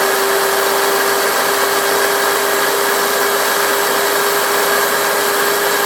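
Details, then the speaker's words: Large angle grinder that had no power, after refitting the carbon brushes; switch still sometimes sticks; steady, even high motor whine with no stutter or cutting out at full speed — normal running. "So gumana siya mga ka-striker, pero ang problema itong switch na, kasi minsan nagdikit siya ito."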